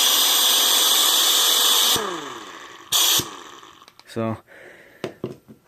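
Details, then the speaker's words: Old pneumatic impact wrench, found in a building and taken apart to fix, test-run at under 40 psi instead of about 120 psi: steady high airy whirr for two seconds, then winds down and sputters with almost no torque; weak from low air pressure. "you've run better in a 120 psi but uh yeah it's only like lesson 5 at 40 less than 40 psi"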